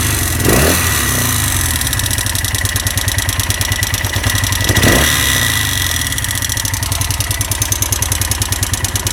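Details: Honda SL175 motorcycle engine at idle: a fast, dry metallic rattle running through it, cause not identified.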